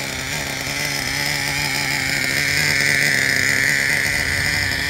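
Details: 2009 Traxxas Revo 3.3 nitro RC truck engine, retuned, running: steady high-pitched buzzing drone at even revs, no misses or rattles, engine healthy.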